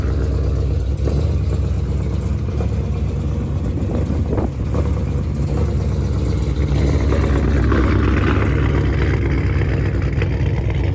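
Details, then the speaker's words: 426 Daytona V8 recorded after a rough-sounding start: deep, lumpy idle with an uneven knock and faint tick about twice a second. Oil was low and black 3,000 miles after a change; owner unsure whether it is rod knock. "but yeah it's got a little bit sound like a knock so i don't know to be continued"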